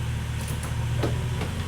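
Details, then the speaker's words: Mercedes ML55 AMG W163 after installing a good used transfer case, engine running, shifted into drive and rolling forward and back: low, even drone with faint light ticks and no whine or clunk. Sounds quiet; normal transfer case operation after repair. "Drive. No clumping noise. Let's try to move forward and back a little bit. She's moving. It sounds really quiet, too."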